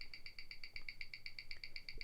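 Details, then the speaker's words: Rolex Explorer II at 28,800 bph on a Weishi 1000 timegrapher; crisp, even, fast ticking with no skips or double ticks. Beat error 0.1 ms, running about minus five to minus seven seconds a day. Normal watch tick. "the beat error is very good it reads at 0.1 milliseconds which means that there's nothing wrong with this watch"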